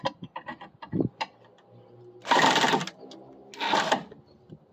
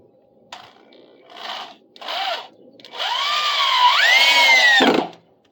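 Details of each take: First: Chatter's a bad sound. You hear the drill chattering like that, it means you're not in the head properly. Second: Cordless drill driving a deck screw into a replacement deck section: two brief bursts then a steady whine climbing smoothly, with no chatter, showing the bit properly seated in the screw head.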